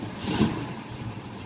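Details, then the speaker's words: 1968 SS V8 with brakes recently gone through: catches with a quick flare of revs, then settles straight into a steady, even idle with no knocks or misses and good oil pressure; normal idle after cold start. "Just idles the life, no problem. Hold nice oil pressure."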